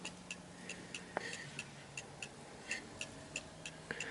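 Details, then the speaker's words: Antique Davison Bros London clock after being nudged left and right to find beat center: crisp evenly spaced ticks about three per second, balanced tick-tock; clock in beat and running properly. "so you notice that the clock is ticking perfectly V fine"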